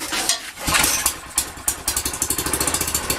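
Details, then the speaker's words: Manco Dingo go-kart Fireball engine, first start after tank and carb swap, fuel line primed with carburettor cleaner: rough sputtering catches settling into quick even popping; the motor runs. "Alright. So right now, we know the motor runs. That's great."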